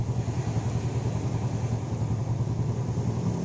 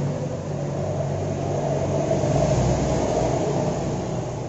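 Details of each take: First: Yamaha Jupiter Z carbureted single after vacuum/fuel tap fix (previously no idle, hard starting, black plug): starts on one kick, low even putter about three and a half beats per second, stable idle without stumbles; normal idle. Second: Yamaha Jupiter Z that won't idle, starts hard and fouls its plug black: uneven, stumbling idle with a lumpy low beat. The faulty vacuum fuel tap lets petrol into the vacuum hose and straight into the manifold, running the engine rich.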